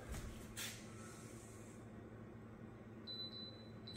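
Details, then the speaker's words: Induction cooktop mounted under a granite countertop: quiet room hum, then a thin high beep repeating in short pulses when the pot is moved off the burner zone. Normal pan-removed warning. "so when you move the pot it'll beep when you're not on it so"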